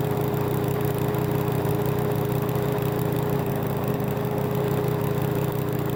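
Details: Toro Recycler mower that had been stalling after about 15 minutes, test run after reassembly and carb work with fresh gas, air filter off: steady even drone, no surging or missing, then cuts off cleanly; runs normally.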